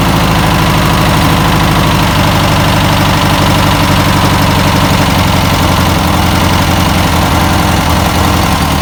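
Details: 1962 VW Type 2 van/bus flat-four, first start after sitting over 40 years, points cleaned, fed fuel by hand: even, steady chuffing idle with a regular low throb, no misses or stumbles; normal idle, engine not seized.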